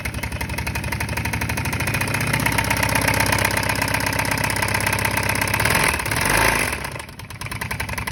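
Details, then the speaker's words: Kawasaki Brute Force 650 ATV submerged in mud, engine likely took on water; owner suspects bent rod or spun rod bearing: sharp regular knock about four per second, rising with revs; engine knock. "i'm thinking it bent a rod or blue a rod bearing or a rod because it's got a pretty bad knock which you'll hear"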